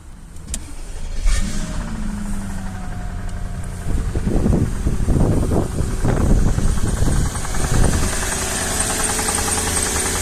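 Cold V8 catches and settles into a fast idle with an irregular knocking running through it; cause can't be pinned down by ear.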